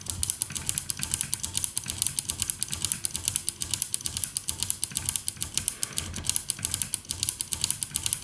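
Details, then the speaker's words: 1974 Harman Kardon 730 Twin Powered dual-mono receiver, after contact cleaning and closing the case: one switch still gives sharp, scratchy clicks in quick bursts over a quiet background, a dirty-contact crackle; extra spray applied while powered, doubted to fix it. "I closed it down, and then I noticed that this switch make a problem."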